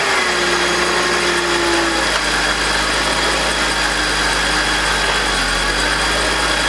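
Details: BMW E46, M52TUB25 petrol six, VANOS connected at idle: rough grinding undertone, falling tone as rpm drops; with VANOS disconnected no noise or drop, VANOS suspected. Grinding at idle with rpm drop.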